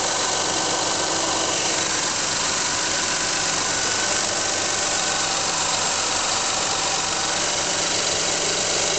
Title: Weird noise from underneath engine